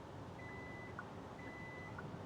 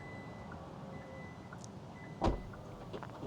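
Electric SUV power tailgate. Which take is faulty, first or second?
first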